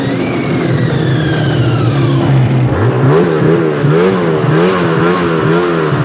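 Snowmobile engine revs fall away, then the idle hunts up and down in a steady wavering rhythm.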